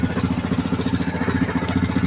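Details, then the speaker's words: 2007 Yamaha Grizzly ATV after fuel pump replacement and fuel injector wiring fix: steady, even single-cylinder thump at idle, about ten beats a second, no misses. Normal idle; it smokes under load and needs a top-end rebuild. "Now we're gonna start it up. Bam. It's rolling."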